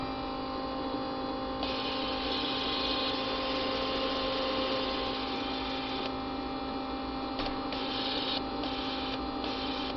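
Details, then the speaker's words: Bench fuel rail test: injector fired off the battery with the fuel pump running; steady fast ticking about four a second over pump hum. Every injector clicks the same and passes fuel, normal. "that's how it's supposed to work and I've done each one they all do the same thing so I know that how do I do they click but they pass fuel"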